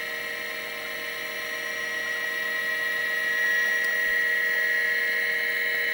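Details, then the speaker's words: Seagate ST225 vintage MFM hard drive booting an XT clone: an even high spindle whine with light, regular ticking about four per second; normal spinning and seeking. "can hear the hard drive there we go so we just booted off of this st225 drive you can hear it running here"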